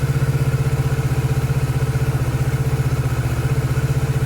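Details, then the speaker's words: 2019 Kawasaki Z650/ER6 auction bike of unknown engine history, after clearing crud from the fuel pump sock that stopped the pump, warming up: steady even low pulse, about four beats per second, no misses or clatter. Normal idle. "but that's really good news it sounds really good"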